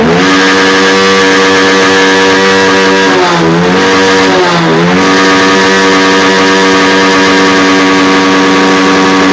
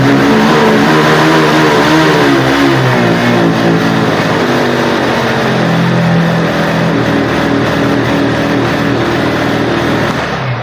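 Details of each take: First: Honda X-Blade motorcycle after fitting an original Honda air filter in place of a local one. It idles steadily, picks up crisply in two quick blips and returns to an even idle. Normal revving. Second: Honda motorcycle with a poor local aftermarket air filter, held at full throttle. The engine drones at one flat, muffled pitch and will not pick up. Engine bogging from restricted air filter.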